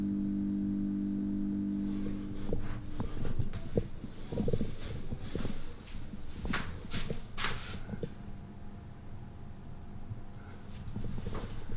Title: 5cm thin, 40cm round LED Ceiling Light from eBay...emitting annoying buzzing noise